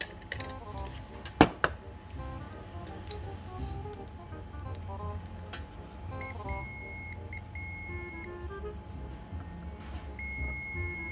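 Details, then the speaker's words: JBL Xtreme speaker board with its burnt audio IC removed: the multimeter continuity beep holds steady across the capacitor nearest the IC. A short remains on the board. "masih ternyata Berarti ada teman-teman karena masih short atau klet gitu ya"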